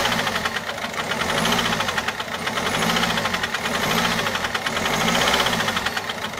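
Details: Peugeot 407 1.6 HDi 90 diesel at idle: quick regular light top-end ticking that follows engine speed. Noise began after a road drive, with slight white smoke from the rear. Mechanic suspects tappets (poussoirs) or camshaft, unconfirmed.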